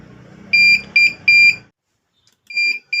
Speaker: और ये बीप का साउंड आ रहा है। इसका मतलब यह हार्ड डिस्क जो है एब्नॉर्मेलिटी शो कर रहा है डीवीआर।